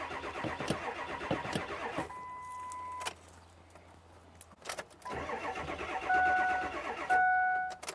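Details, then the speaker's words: 2003 Ford F350 7.3 liter diesel, reported to start cold but not hot, here not yet started: starter cranks steadily in bursts with chimes between, engine never catches, white smoke from tailpipe; crank no start, fuel starvation. "It's not starting. Now it's a crank no start. All right, so that's customer's complaint confirmed."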